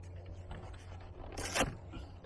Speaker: I had this paper shredder and I started using it now listen can you hear that sounds dead it's grinding